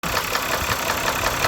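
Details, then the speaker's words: New-to-owner 2010 BMW 328i xDrive petrol engine at low idle: loud sharp tapping about five or six times a second; owner suspects water pump, cause unconfirmed. "it's got this really loud uh left South tapping or some kind of tapping um that at low idle and we don't know what it is"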